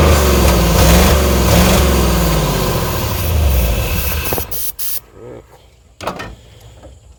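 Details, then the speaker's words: Early-2000s Chevy Tahoe 5.3 V8 with 4L60E, bought as a parts truck, running on sprayed carb cleaner: lumpy, surges briefly with throttle, then sputters out as the spray weakens; rough running, starved of fuel. "Well, I think that was good enough. It cleared up a little bit. I gave it a little throttle, but the old car cleaner stopped spraying real good."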